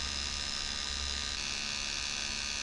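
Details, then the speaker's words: Refurbished 1984 D.C. Johnson FAC-1 lambda control for K-Jetronic, full-throttle switch input grounded: frequency valve holds a constant even buzz at fixed duty cycle, open loop, oxygen sensor signal ignored; working correctly. "When it s in cold start or full throttle the oxygen sensor signal can not cause the duty cycle of the output to change."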